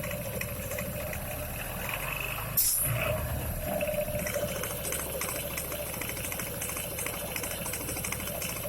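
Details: Kymco Xciting 300Ri scooter: a sharp clack, then a brief whirring scrape as the centrifugal clutch engages. The owner asks whether the noise is normal and whether the engagement RPM is too high.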